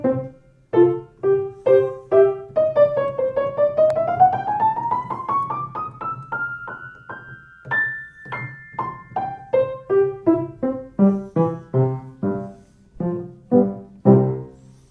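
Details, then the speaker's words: Kawai baby grand piano in a music school, after tightening loose action bolts that caused a click in the middle range; clean notes with even attack and decay, no click between keystrokes. Fixed, normal playing. "test it if the sound is still there now it's gone so the problem is fixed"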